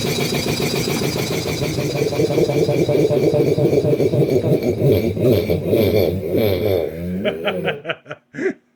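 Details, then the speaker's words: Restored DeVilbiss 445 compressor first run with both heads on, valves fully open, interstage coolers not yet fitted: even fast pumping thump with steady tone before winding down; runs smoothly and quietly. "And I'm sure the camera probably makes it sound louder than it is, but this thing, even just with the valves being completely open and shit, it's pretty darn quiet."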